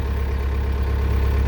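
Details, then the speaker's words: Link-Belt 2700 Quantum excavator diesel, after a dying-out fuel issue was solved by disconnecting the cable pulling the fuel shutoff: deep, steady idle with audible turbo, no smoke, no knocks or misses; normal diesel idle. "Hear the turbo. So that's working. Not blowing any smoke, that's good."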